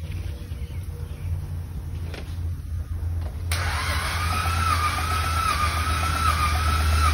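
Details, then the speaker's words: 2010 Buick 3.0L V6 with no start, suspected jumped timing, compression test while cranking: even cranking at about four beats a second, a brief initial lift, then weak pulses; this cylinder reaches only about 60 psi versus 115–120 on another, low compression. "this one most likely has a little bit of compression because of that initial jump you can hear it build something up in the beginning let's see here this one we're pushing about 60"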